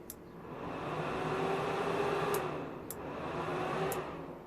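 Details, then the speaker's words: DIY soldering fume extractor fan, powered through a transformer and switched on: steady, even airy whoosh with a faint hum swelling as the fan nears the mic; normal fan running. "and now when I press this the fun should start there we go"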